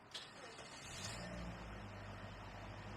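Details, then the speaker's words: 2010 Toyota Corolla S after brake vacuum hose replacement: low, steady idle hum with no hiss or surging after the first moments, everything quiet again; normal idle. "never fails when you finish a job you do a nice well presented job everything's quiet again"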